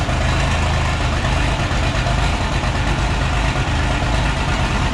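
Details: Oliver 1650 tractor diesel six, first start after sitting about three years awaiting a clutch, new battery fitted: heavy, uneven, lumpy idle with lots of smoke, not firing on all six cylinders; needs at least injector work.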